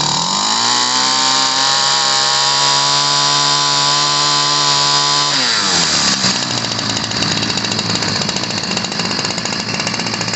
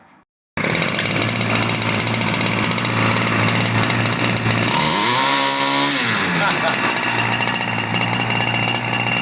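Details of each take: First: 1990s Ryobi 725r two-stroke gas trimmer after new fuel lines and filters, running rich before carburetor adjustment: high buzzy scream that drops and burbles unevenly; the high-speed screw nearest the choke arm needs adjusting. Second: Ryobi 725r EZ two-stroke gas trimmer from the 90s: loud buzzy wail held at full throttle, dipping then steady and slightly higher rpm after leaning the carb screw; it had been running rich, spitting fuel and clogging the air filter.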